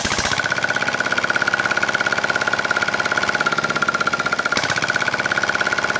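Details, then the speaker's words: R180 single-cylinder diesel after hard-starting repair for lost compression: valves reseated, piston rings and piston replaced; fast, even clatter about two to three beats per second, no misses; running normally. "Oh ya baik tadi sudah kita coba ya dan sudah oke siap diambil pemiliknya mudah-mudahan awet dan lancar"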